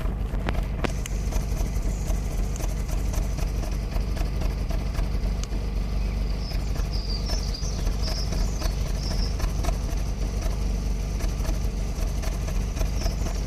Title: Corsa C rough idle